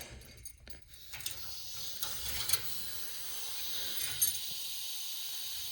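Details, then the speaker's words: Newly installed hallway radiator being filled and bled: soft steady hiss with faint clicks as trapped air bleeds out of the radiator. "Oh, we can hear there's some sort of internal automatic air vent there. So you can hear a bit of air being released through the boiler."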